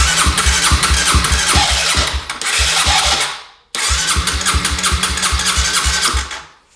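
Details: 2007 Honda CBR125R that sat outside two years, cranking on a cleaned fuel pump: two cranking bursts, starter turning steadily about four beats a second, engine never catches; fuel not being delivered.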